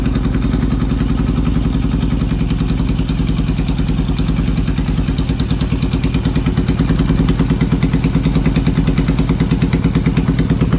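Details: Yamaha XS650 twin running an old Hitachi TCI ignition, at idle: irregular, stumbling lope with skipped firing pulses over the engine clatter, a misfire, likely ignition-related.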